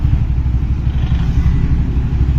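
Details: CNG auto-rickshaw, small single-cylinder, idling steadily with no misfire after a no-start caused by water splashing a sensor; runs once the switch is removed from its socket and the warning light goes out.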